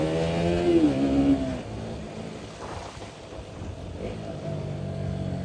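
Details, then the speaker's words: KTM Duke 200 single-cylinder, fully serviced, after replacing the broken accelerator cable: revs cleanly up and settles back with no hesitation or flat spots; crisp, healthy throttle response. "ആ response ഉണ്ടോ, സീനാണ്, ഭയങ്കര സീനാണ്."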